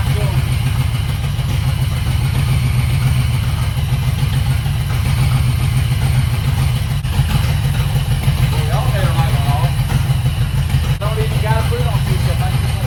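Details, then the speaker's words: 1991 Mustang 5.0 LX, high-mileage stock shortblock, F-303 cam, after removing injectors and clearing trash from them: deep, steady V8 burble at an even idle, no stumble or miss; sounds much better. "knocked the trash there was a little bit of trash don't take much but uh sounds a lot better now"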